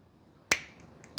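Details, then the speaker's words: Scooter NGK screw-type two-stroke spark plug cap pushed onto the plug: two sharp clicks about 0.7 s apart as it snaps fully home, confirming it is properly seated. "You can hear it like click in, which tells you that it's definitely working."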